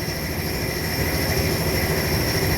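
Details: 1992 Honda Civic, front of engine: steady high whine and hiss over low engine rumble from a broken bearing in the A/C compressor clutch set and a worn idler pulley bearing (6203); set replaced.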